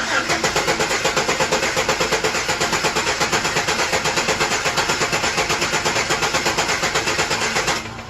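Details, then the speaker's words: 2008 Chevrolet Express with an intermittent misfire: uneven starter cranking for a relative compression test, the beats swelling and dipping because cylinder 5 reads low. The van also had a weak-flowing injector and faulty O2 sensors. "Now when I crank it, it sounds weird. So I'm going to do a relative compression test real quick."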